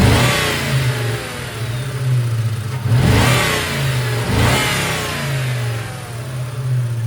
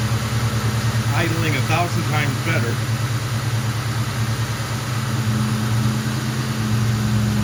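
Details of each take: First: 1998 Mustang GT 4.6 2V after intake manifold and cracked PCV hose replacement: after a throttle blip a loud hum lingers and the idle nearly dies, from a faulty idle air control valve that is about to be replaced. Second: 1998 Mustang GT, 4.6 2V V8, after replacing the faulty idle air control valve and a cracked PCV hose: steady idle, two quick throttle blips, clean return to idle, no more loud hum on deceleration.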